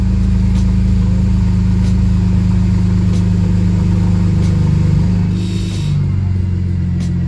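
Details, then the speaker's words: BMW 335i on a later restart, after earlier rough running: deep, steady engine note with a slight rev and settle and no knocks or stumbles; much smoother. Normal running. "is a lot smoother okay this thing is smooth okay"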